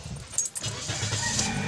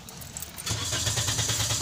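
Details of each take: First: 2019 Toyota Vios with hard-starting complaint, fuel pump replaced under a month ago, original belt reinstalled: key, short crank, catches first try and settles to steady idle; normal start. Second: Short crank, then a 2019 Toyota Vios automatic catches and settles into a steady idle; hard starting, needing two starts, despite a fuel pump replaced less than a month ago.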